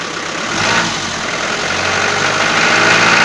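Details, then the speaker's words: Toyota 4B diesel knocking after injection pump repair (plunger pair and nozzle replaced), warming up: light fairly regular knock three or four a second over clatter; worst cold and after revving, cause unknown. "штук будет сильный пока свечи накаливания маленько не подаст минут потом чуть послабее а когда обороты упадут прогревочные штук будет немного слышала в основном услышал на улице когда мороз на улице и постукивает перед при перегазовке"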